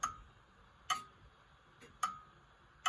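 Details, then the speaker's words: Antique grandfather clock while bending the back cock back, heard through an amplifier; tick and tock still uneven, alternating short and long gaps around seventy a minute, getting closer but not perfect; clock slightly out of beat. "hear it getting closer. And the same effect if you go the other way. A bit closer, not perfect yet, but you get the idea."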